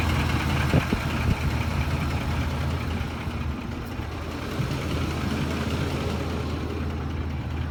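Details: Ford F150 at idle: steady idle with a faint, uneven light knock underneath, roughly two a second; owner suspects VCT phaser or timing chain tensioners, source unconfirmed.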